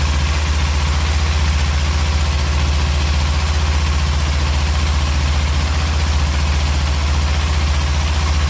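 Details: Kawasaki Z300 twin in neutral, just started after a spark plug change, left unrevved: smooth, even low idle with a steady beat and no knocks or ticks; sounds healthy.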